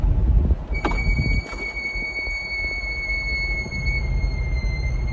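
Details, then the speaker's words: Brand-new C8 Corvette with 3,800 miles, driving with windows down: steady high-pitched brake squeal over road rumble; Chevrolet says squeal is expected with high-performance brakes. "I'll roll the windows down, too, so you can hear the freaking brake squeal that I'm dealing with that Chevrolet doesn't want to do anything about cuz they say"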